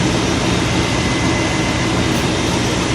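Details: 1996 Chevy Tahoe V8 after installing a Mechman 240 amp high-output alternator on the factory belt, voltage checked OK with a meter; steady, even idle with a smooth low drone and faint belt whine, no knocks or squeals; normal idle.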